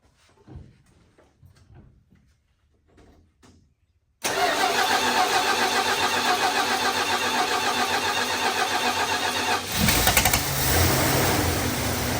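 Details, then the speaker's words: Plymouth with stock Carter carb, sat about two weeks, started without fuel down the throat (normally cranks forever to fill the bowl); short cranking bursts, fires quickly and settles into a fast, very high idle; caught much faster than ever before. "That caught much faster than it ever has previously. So that was a surprise."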